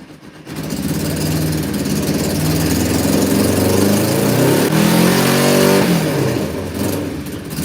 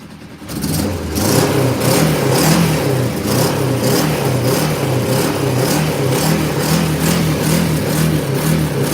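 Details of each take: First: Cold motorcycle started with snow on the ground, blipped on high choke: revs rise and fall back with a lumpy, uneven beat; owner thinks only one cylinder is firing; suspected misfire, later clears to smooth running. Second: Motorcycle started cold with snow on the ground, earlier seeming to fire on one cylinder on high choke: now a steady, even beat with no misfire, stumble or knock; running perfect, purring like a kitten.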